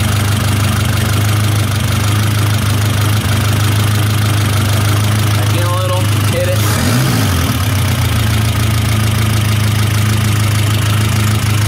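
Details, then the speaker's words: 1972 Toyota Celica 18RC four-cylinder with Weber 32/36 carburetor, after valve adjustment: uneven, slightly faltering idle beat with the mixture screw backed out, still too stumbly. Lean-mixture idle stumble, screw being turned back in. "be a little bit too stumbling for me still go in a little more"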